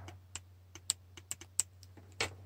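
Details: Evaporative purge solenoid valve bench-tested with a multimeter and hand vacuum pump: sharp irregular clicks over a low hum as the terminal is touched. The coil snaps open and works, though the valve failed to hold vacuum and was judged defective.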